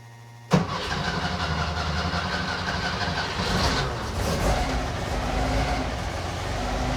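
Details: Car with Weber 40 IDF carburettors after cleaning clogged idle jets, owner blaming debris entering through poor air-cleaner base fitment: cranks and catches at once, then settles into a steady, even idle without stumbling or hunting.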